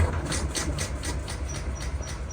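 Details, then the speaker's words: Honda PCX scooter (around 2014–2017), cut out while riding and won't restart: starter cranks in a steady quick rhythm but never catches; diagnosed failed fuel pump that cuts out when ignition is switched on. "Motorumuzun arkadaşlar benim teşhisimce motorun benzin pompası arzalı. Çünkü benzin pompası tepi kesiyor."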